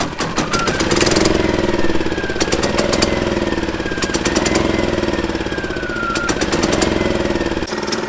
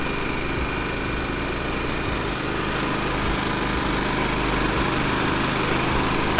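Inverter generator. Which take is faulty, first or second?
first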